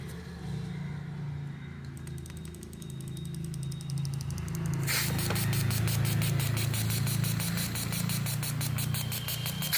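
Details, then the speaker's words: Maruti Eeco petrol with an acceleration complaint whose four injectors did not spray correctly even after cleaning; after all four injectors were replaced it revs cleanly with no stumble or hesitation and holds a smooth, even note. "Nala injector മാറിയപ്പോ വണ്ടി ബക്കിയായിട്ട് raise ആവുന്നുണ്ട് യാതൊരു പ്രോബ്ലവും ഇല്ല ട്ടോ"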